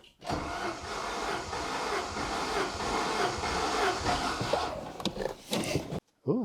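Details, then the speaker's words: Saab 900 Turbo during compression test, cylinder cranked with throttle held to floor after gauge refitted: even, steady cranking with regular rhythm and no missing beats; healthy compression. "it sounded like it jumped off did it something happened yeah I don't think I got it fitted right let's give it another go that means there is compression at least"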